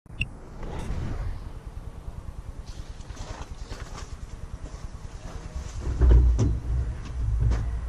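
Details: VW T4 2.5 AAF engine at idle: steady low knock at about five beats a second that persists while each spark plug cap is unplugged one by one; louder under load, revs fine above 3000 rpm; source not found.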